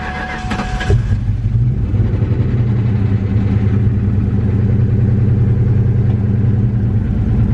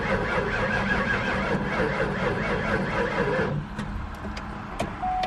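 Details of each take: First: Ford Mustang SVT Cobra V8 in restoration, first start after reconnecting the battery and fuel pump: cranks briefly, catches and settles into a deep, even burble with steady low exhaust pulses, sounding great from the rear; normal start and idle. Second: Mustang SVT Cobra V8, first start attempt with jump box: starter cranks steadily for several seconds but never catches; fuel pump was left unplugged, so no fuel.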